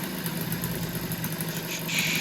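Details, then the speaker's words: Honda Dio stunt build two-stroke scooter, early startup with aftermarket intake, new carb, new top end, exhaust not yet changed: steady even burble at settled idle, no knocks or misses, brief hiss late; normal idle, seems happy. "Okay, so that's with the aftermarket intake, the new carb, the new top end, not the exhaust yet, but seems happy."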